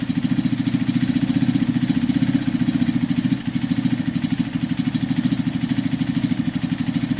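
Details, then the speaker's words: Kawasaki KSR motorcycle after top-end rebuild and gasket sealing, still smoky: small single idling with an even rapid pulse and a dry metallic clatter on each beat; engine suspected poor, swap considered; metallic engine noise. "The engine doesn't sound great. It's a bit, I can hear it, it's a bit metallic-y."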